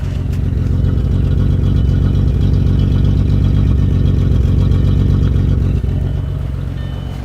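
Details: 2000 VW Jetta MK4 VR6: rough, lumpy idle with uneven stumble about four beats a second over steady engine noise; bad misfire on one cylinder.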